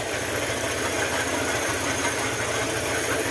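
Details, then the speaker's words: Honda ADV150 scooter idling with seat removed and tensioner taken off, which causes the loud hiss: quick uneven knocking from the top end; another shop blamed crankshaft side bearing, but camshaft knock is suspected. "yan Yan yung gagawin natin kapagka ganyan ang tunog mga sir patay muha natin ganan mga sir kapagka ganyan ang tunog ng motor Huwag muna tayo kaagad magbase sa segunyal kaagad"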